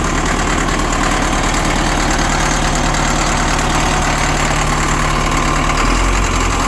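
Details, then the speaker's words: Cat 950 loader diesel, run after sitting about 15 years, water drained from fuel, old filter with water separator refitted, new 24V batteries. Steady low chug with some clatter at idle, no stumbling; normal diesel idle. "This loader has been sitting for about 15 years. Had to drain the water out of the fuel. To get it running."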